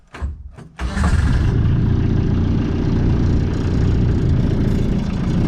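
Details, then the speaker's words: Volkswagen diesel swapped into a Suzuki Samurai, cold start after glowing through a push-button relay, with a stock-style Cherry Bomb exhaust: brief cranking, then it catches at once into a steady, even low rumble, very quiet; normal diesel cold start. "you have it all tractor it is way too quiet"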